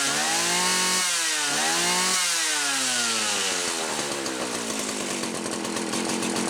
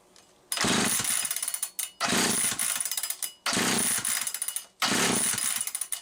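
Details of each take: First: Homelite 360 chainsaw on a bench test after fixing a misaligned carburetor (intake) bushing that caused inconsistent running, carburetor at about 1¼ turns: sharp revs, then a steady, high, even scream with no bogging. It now runs properly. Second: Homelite 360 chainsaw that would not run consistently, with a misaligned carburetor bushing: it fires into a harsh high rev about every 1.5 seconds, then sags and nearly dies each time from fuel starvation, with fuel spurting out the top.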